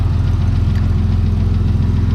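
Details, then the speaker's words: Turbo 2000 Camaro 3.8L 3800 V6 at cold idle just after a cold start: deep steady idle with a faint light lifter tick that comes and goes, mostly gone once warm or with RPM; cause suspected, not confirmed. "You can hear that lifter tick. It comes and goes. Once it's warmed up, it mostly goes away. And then when you give it RPM, it goes away."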